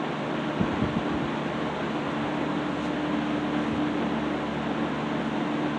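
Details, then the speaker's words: 1960s Phionex 16" box fan by Frigid with General Electric motor, freshly cleaned and serviced; warming up on low. Steady low electric hum, even airy rush, no knocks or rubbing; normal running. "You kind of have to put it on high and let it run for a few minutes, and then put it back on low to where it's at its proper speed variation. This has a really nice motor sound to it too, by the way."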